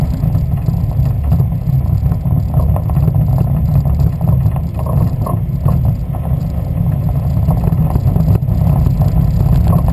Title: Westfield Zetec engine misfire